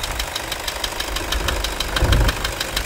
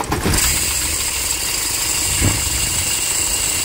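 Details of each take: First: Toyota Hilux 2.5 diesel after accessory belt repair for scraping and alternator bearing noise; steady diesel clatter with even ticking and no belt squeal or chirp, accessory drive now quiet. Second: Toyota Hilux 2.5 diesel starting: fast harsh scraping chatter from the alternator over the diesel clatter; failing alternator freewheel pulley.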